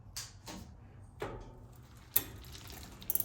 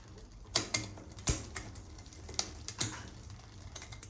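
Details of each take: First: Bicycle rear derailleur upshift after adding cable tension at the barrel adjuster: a few crisp single clicks as the chain climbs cleanly on its own without pushing the lever, then light freewheel ticking; properly adjusted shifting. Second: so you can see that the chain doesn't like that the gears don't like it it's not allowing the chains to come down it actually went back up on its own and you can kind of hear it rattling in there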